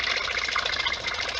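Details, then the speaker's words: Whale FP0184 Watermaster motorhome/caravan fresh-water pump tested after repair with taps open, bleeding air: fast, even chugging pulses, several per second, with a bright mechanical buzz as it pulls water and builds pressure, running normally. "Just let it get to pressure a bit more. You can hear it chugging away"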